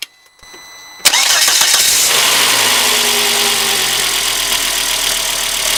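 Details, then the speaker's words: Volvo engine, first start after a few weeks sitting, following a homemade thermostat gasket repair. A short crank catches at once and settles into a steady, even idle with no knocks or misses. Coolant level is being watched for overheating. "well so far so good so there it is running"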